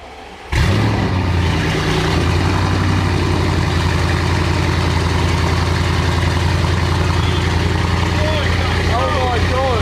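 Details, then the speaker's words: Audi RS6 after a crash-damage rebuild, started up: it fires and settles into a loud, deep, even idle at raised cold-start speed, very loud until it comes off cold start. The engine is running healthy. "Oh, that's better. Oh, that's better. It's come off cold start. That was well loud on cold start."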